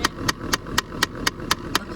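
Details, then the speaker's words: 2008 Dodge Avenger HVAC: steady sharp plastic ticking about four per second from behind the dash, traced by touch to the second blend door actuator on the right side; failing actuator, to be replaced. "i definitely feel it right here okay so it's definitely the right side let's change her this is the second actuator on the right side the one that's ticking"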